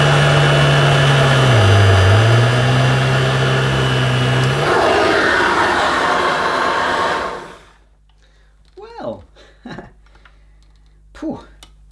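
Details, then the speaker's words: New Dirt Devil Broomy Broom Vac 750 upright (325 W, 50 Hz) with a new belt and bag, first switch-on on thick pile carpet. The motor hum sags in pitch around two seconds as the brushroll stalls, then it is switched off. "I could hear the brushroll stalling because it was on this thick pile carpet and I thought well I better turn that off"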